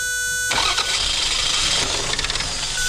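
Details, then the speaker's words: Normal start of a 2000 Toyota Avalon with a no-spark, no-start fault after supplying a temporary ground to bypass an open ground wire: catches within half a second, steady even idle, no misses. "It's going to start. I'm just going to have to find that ground break. It starts up. Just shut it right off."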